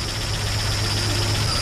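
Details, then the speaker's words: 1965 Mustang, roller 302 with Holley 4010 carb, after advancing the distributor clockwise and moving plug wires: settles into a fairly steady, even idle with low thrum, no knocks, a little exhaust smoke; runs properly now. "right there runs pretty good little smoke coming out the exhaust but that's all right"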